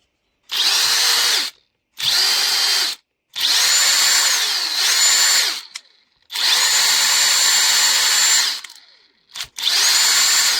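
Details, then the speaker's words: Parkside Performance X20V Team impact driver repaired with an AliExpress control board and adapter, trigger wires extended; short high whirring bursts, rising smoothly, winding down a touch slowly, no rattle or grinding; normal running. "L'arrêt n'est pas instantané, mais on s'en fout. Et elle dépote bien."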